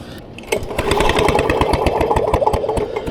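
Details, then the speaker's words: Vintage Lawn Boy Gold Series 4.5hp two-stroke mower, curbside find: uneven recoil pulls chug with no firing; zero spark even with known-good plug and wire, failed magneto suspected, magneto ground wire to be removed. "okay this one's still got zero spark uh even with the know good plug so let's go ahead and pry off that Magneto wire the ground wire"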